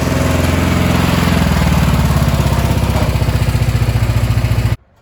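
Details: Cub Cadet 2146 lawn tractor, 14 hp single-cylinder Linamar engine, revived after 3 years sitting, warm idle before oil change: steady even chugging, no misses or surging, until switched off; normal idle.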